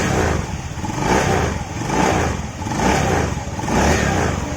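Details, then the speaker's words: Honda Beat FI scooter CVT after repair, clatter at pull-away and light throttle previously; worn shaft found as cause after repeated bearing replacements: revs rise and fall with smooth drive whir, rattle gone on test ride; normal CVT running. "Oke ya, hilang ya suara kletek-kleteknya. Coba kita tes jalan ya. Setelah kita tes jalan, suaranya langsung hilang ya."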